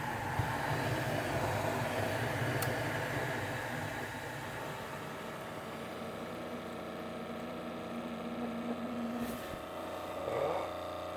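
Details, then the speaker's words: Keurig coffee maker reported not shutting off water, now working, opened up: quiet steady hum with faint higher whir as the air pump forces air into the heater, pushing water through the K-cup; normal operation. "there goes the air pump boy this would be a bad time for it to malfunction I'm not prepared for it to overflow so the air pump is running and it's forcing air into the heater unit"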